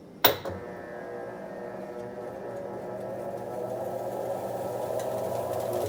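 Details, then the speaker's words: Top-load washer MVWC465HW2 on final test after a splutch drive kit replacement, top panel off: a steady, even motor drone with a soft rising hum while agitating, with no shriek, grinding or pauses. Normal agitate cycle. "as you can see here it is agitating which is fantastic"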